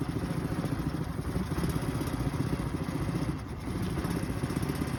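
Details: 2023 Suzuki 9.9 EFI outboard idling rough at random times; lumpy, uneven low idle whose beat wavers instead of holding steady; cause not yet known.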